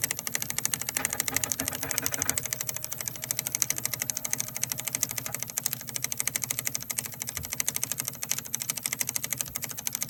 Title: Clicking noise extruder